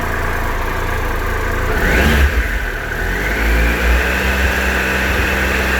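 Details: 2013 Triumph Tiger Explorer, 31,000 km, ticking cold and warm, before dealer valve service: revs rising and settling with fast light tick over exhaust; top-end ticking, source unconfirmed.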